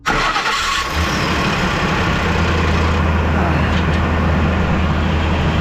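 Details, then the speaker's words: 2004 Ford Expedition, 260,000 miles, would not start; battery at 14.2 V and alternator at 14.3 V are fine. With the starter solenoid jumped, a short crank catches and settles into a steady low idle. A failed starter is suspected. "Yeah, I say we got a starter problem."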